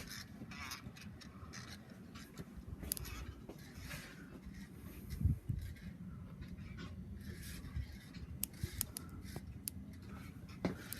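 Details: 56-inch Relite Airmaster ceiling fan at medium speed: low motor rumble with dry, scratchy rubbing and scattered clicks from bad bearings; earlier wobble since reduced.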